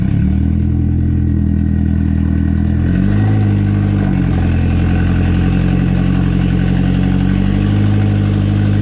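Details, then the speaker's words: Built KA-T turbo engine in a 240, newly fitted Pulsar PSR 3582 turbo, running after nearly 2 years sitting: very loud, deep uneven note that lumps and stumbles when revved while fuel is being tuned; rough running. "all right so it's finally running very very loud but the turbo is spinning"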